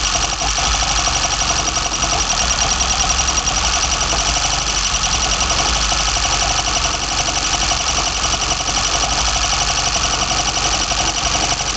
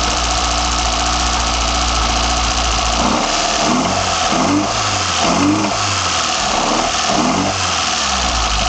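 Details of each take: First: BMW 318i M10 engine, first startup with newly fitted sidedraft individual throttle bodies: a loud steady engine roar carries a faint, constant high whistle of unknown source. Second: BMW 318i M10 engine, first startup with sidedraft individual throttle bodies fitted: catches after a few seconds, settles to a steady even idle with lumpy intake pulse; sounds healthy, though a slight whistle was noted afterward.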